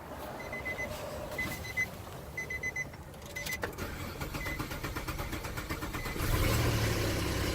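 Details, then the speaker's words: Car with crank/no-start, fuel pump not heard, missing fuel pump relay refitted: dash chimes, brief starter whir, then engine catches and settles into a steady idle. Normal start. "And it starts, so that's what seems like could be the problem."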